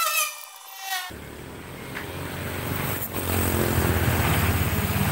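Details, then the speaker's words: Honda Vario CVT after repair of rough, grinding noise (previously grinding when wheel held, bearing suspected): short tone then even, steady drone with no rattling; belt drive now runs smoothly. "Oke Bro ini suaranya sudah halus ya enggak kedengaran kroyok proyek-proyek gitu"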